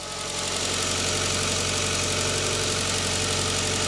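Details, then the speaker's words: VW Beetle 1.6 petrol 8-valve (2001) after cam belt and water pump replacement, run without covers, engine mount and alternator belt not refitted: steady, bright idle, engine wobbling slightly, running as it should. "there you go that's uh all running as it should be wobbling about a bit because we haven't got the engine mount back on yet haven't got the alternator belt on"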